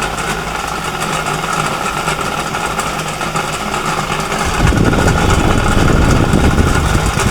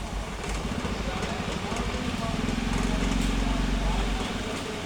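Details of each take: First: Ravi/Cinni table fan with two running coils and no capacitor: loud, rough rattling hum from worn motor bushings letting the shaft wobble, making the fan sway. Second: Senior table fan after replacing its worn bushes and refitting the front guard: smooth, even motor hum with no rattle or scraping; running normally.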